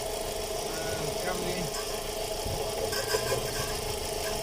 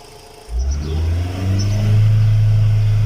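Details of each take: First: VW Gol 1.6 at idle with power loss, knocking, EPC and check-engine lights and code P0303: irregular stumble and uneven chuff; cylinder 3 misfire, spark reaches the cable but not the plug, so the ignition cable is diagnosed. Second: VW Gol 1.6 after fixing a misfire on cylinder 3 (power loss, pinging, EPC and check lights; codes cleared): engine catches at once and holds an even, steady hum with strong spark; runs smoothly on all cylinders.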